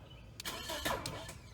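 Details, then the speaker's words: 2005 Toyota Matrix with a no-crank complaint, starter powered through the starter relay socket: short burst of cranking, then the engine catches and runs, confirming the circuit from relay to starter is good. "alright the vehicle does start alright so we know we are good from here to the starter is what we just verified"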